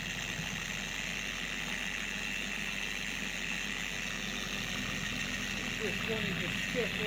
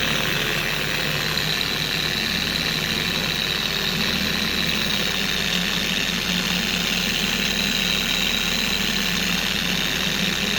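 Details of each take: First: Four-year-old Carbon Collective DA random orbital polisher screaming at higher speeds: harsh, high hiss-like scream over the motor with an uneven wobble, pad creeping across the panel, from degraded gear-head grease later replaced with red lithium grease. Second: Four-year-old Carbon Collective DA polisher after its gear-head grease was replaced with red lithium grease, running on a primed pad: smooth, constant high whir with no scream, rocking or wobble; it now runs normally and much quieter.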